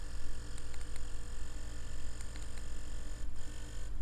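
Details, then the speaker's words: Ambition Sol Nova wireless tattoo machine that periodically cuts out during work: low buzzing motor surging and sagging several times a second, running in jerks instead of evenly; shorted brushes and burnt commutator. "мотор начинает работать рывками"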